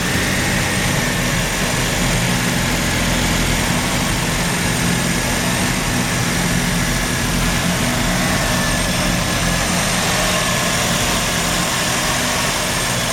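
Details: Mazda RX-7 rotary, failed annual inspection with very high CO (2.70): low droning idle with unevenly wavering beat; misfire worst with slight throttle; no oil pressure shown, no leaks; ignition leads already measured; rough, slightly misfiring idle, cause unknown.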